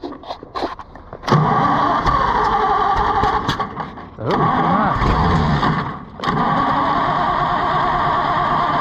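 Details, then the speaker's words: Oliver 880 tractor, second start attempt after carburetor kit install: engine cranks, catches and runs roughly a few seconds, then dies repeatedly; fuel system still mostly water, carburetor judged junk, fuel system needs cleaning. "well attempt number two yet another failure"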